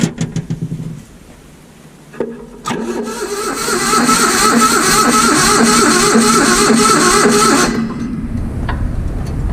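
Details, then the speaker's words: Vintage Hydra-Mac mini skid steer: starter turns the engine evenly, about four turns a second for five seconds, never fires; cranks but no start, with low battery and dirty ignition points. "The battery was low. Cleaned up the points on this thing and it pretty much fired right up."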